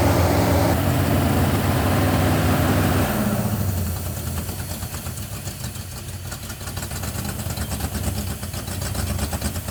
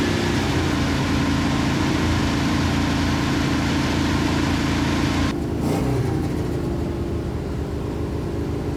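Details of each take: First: 1971 Plymouth Satellite 318 V8 with a newly fitted Thermoquad carburetor: steady, even engine beat stuck high near 2,000 rpm, never dropping to idle. Fast idle from a hanging secondary air door linked to the choke pull-off. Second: 1971 Plymouth Satellite with a 318 V8 and a shelf Thermoquad carburetor just fitted: a steady engine note, then a quick, clean blip and smooth return. The accelerator pump works and throttle response is snappy and normal.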